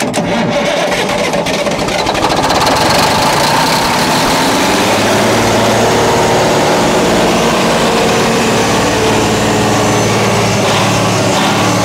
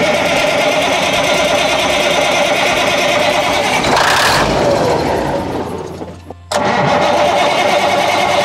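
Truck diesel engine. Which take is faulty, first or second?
second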